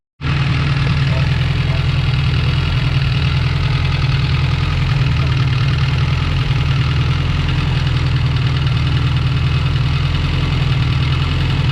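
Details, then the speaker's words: Honda Prelude, freshly rebuilt engine (Cometic head gasket) on first start-up, valve lash not yet checked: loud steady idle with a light quick ticking from the head, expected to quiet as oil circulates and it warms; valve lash ticking. "What do you think there, Brett? Rad. Yeah, just a little valve blast. That's the noise in the head there."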